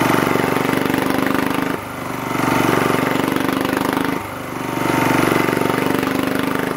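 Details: 1980s British Lister Petter AC1 single-cylinder diesel generator, 4 kVA at 3000 rpm, started first turn: steady beat, revs dip and recover twice as governor stabilizes; even firing, nothing wrong.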